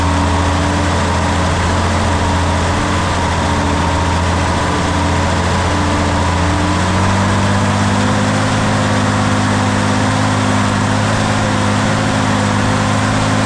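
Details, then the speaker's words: International D282 diesel in a Galion crane with a rebuilt Roosa Master DBG pump. Deep idle with a slightly uneven low beat and a settling pitch. It runs poorly until warm, and the owner suspects a burnt valve or cracked valve seat on cylinder 1. "This engine's got a burnt valve or something on number one. It doesn't run real good till it gets good and warm."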